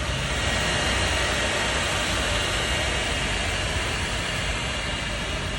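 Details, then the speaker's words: Royal Enfield Himalayan 450 idling after a 50–60 km ride, engine very hot; constant loud rushing whoosh from the radiator cooling fan working hard over the idle; owner finds the heating excessive. "आप लोग इसके fan की आवा bike बहुत ज्यादा गर्म हो रही है"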